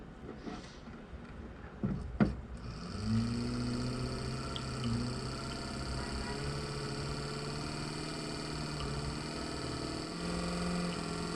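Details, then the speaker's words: Nissan Figaro's old, failed power window motor, before replacement with a 300ZX motor: low electric hum climbing slowly in pitch as it labours up to speed; worn motor, slow to spin up. "so it gets up to speed but it takes a while and it's real slow so that's the old one"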